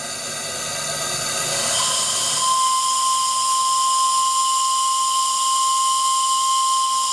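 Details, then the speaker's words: RC steam tug Côte d'Émeraude (Stuart D10 engine) deep-toned steam whistle with a very progressive attack: steam hiss builds gradually, then a steady, clear tone holds evenly; the whistle works properly. "Vous remarquerez que ce superbe sifflet au son grave a une attaque très progressive."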